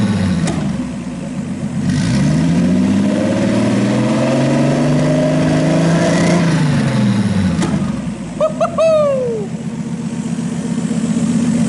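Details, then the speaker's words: RB26-swapped Subaru WRX on a Haltech ECU base map after adjusting a setting down to 12: six-cylinder revs rise and fall smoothly with no misfires or popping, radiator fans humming while warming up; normal revving. "We don't hear any misfires anymore. So let's get some temperature on this and see what happens. We have the fans on and it's cooling down, which is good. The engine is revving good."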